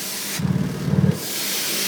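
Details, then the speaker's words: 2001 Toyota 4Runner, just started and not fully hot, tailpipe capped at idle under the truck: sharp rushing hiss in bursts, exhaust leak at the flange bolts on the catalytic converter side; bolts to be ground off and leak fixed. "And if you hear that, there's a loud hissing sound. So that means there's definitely a leak in the exhaust on the catalytic converter side."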